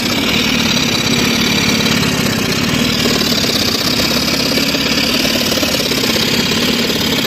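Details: Engine with oil spraying: loud uneven idle with irregular stumbles and a hissing, spattering wash on top; engine jerking and misfiring.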